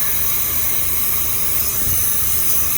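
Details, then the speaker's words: 1987 Freightliner cabover semi, Big Cam Cummins: steady sharp hiss of escaping air over low rumble; air brake leak, sounds worst at one spot up front. "Definitely got an air leak up here somewhere."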